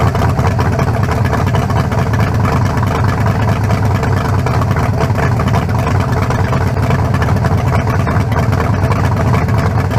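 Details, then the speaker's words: 1974 Nova's new low-compression turbo small block (40-over, 3.48 stroke, forged pistons; replaces a cracked-cylinder-wall 388): strong, even deep beat with no misses or knocks, better than the 388, not sounding low-compression. Normal idle. "yeah much better i say we got it it ain't got no down no double no almost better than the 388 it does it don't it don't sound like no little low compression"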